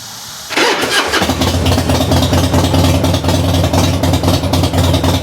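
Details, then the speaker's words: 1994 Harley-Davidson FLSTN Heritage Softail start after fixing loose compensator nut (retorqued ~150 ft-lb with red Loctite, new stator and rotor): starter catches within half a second, lumpy even idle, no knock or rattle. "now I'm gonna fire it up and see how it goes see if I can still hear that noise and I don't hear the noise I'll say it's a big success"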